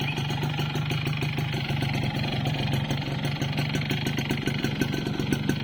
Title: Piston slap yamaha force1 2 stroke